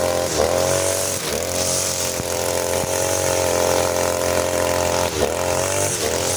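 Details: Side-mounted two-stroke brush cutter, factory carburetor mixture screw too loose, as on new engines: raspy buzz that sags, bogs and picks up unevenly instead of revving cleanly; rich mixture, fuel-hungry, lacking power.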